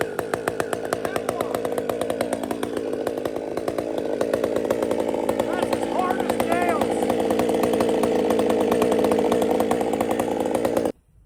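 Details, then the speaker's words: Chainsaw after a major repair, previously hunting at idle: even, steady two-stroke idle with a crisp beat that holds without hunting. It now runs clean. "It had bugs. It was idling up and down and I kind of was making excuses for it. I don't like doing that. But, uh, it's just it's clean now. It's behaving."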